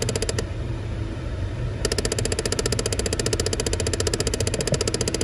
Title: Chevy impala clicking noise behind glove box